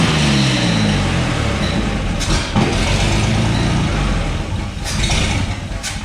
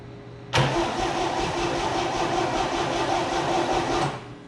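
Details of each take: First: 1962 GMC 2-ton truck 305 V6, about 50 years old, salvaged from scrapping: low, steady rumble with brief throttle blips then even idle; runs healthy, though likely needs starter, accelerator pump, carb rebuild, plugs and wires. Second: Abandoned 1962 GMC 2-ton truck, 305 V6, coil wire unhooked from distributor to test for spark while cranking; about 3.5 s of steady, even cranking that never fires; crank no start, no spark at coil.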